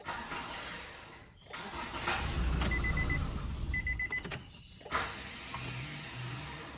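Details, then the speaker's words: Nissan Frontier diesel: starter spins with a rough whir but never catches the engine; starter slipping, pinion drive (Bendix) or planetary gear suspected. "Ela tá com problema no motor de partida. Eu vou dar partida, vamos ver se dá pra gente ouvir o barulho que ela faz. Ela tá patinando o Bendix, tá?"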